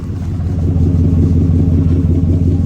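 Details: 2004 Ford F-150 5.4L, 121,000 miles, hesitates under acceleration, no check engine light: deep steady exhaust rumble at warm idle, even beat, no skips or puffs; this bank sounds normal, and scope shows timing on the money.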